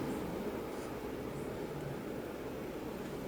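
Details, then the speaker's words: Bedroom ceiling fan after oiling the motor: only a faint steady hush with no scraping or grinding; the earlier rackety noise is gone and the motor runs quietly and smoothly. "yes very happy look at that silence it's not making any noise whatsoever y'all i am so happy right now this thing is it's quiet it's not making that rackety noise so what i did worked"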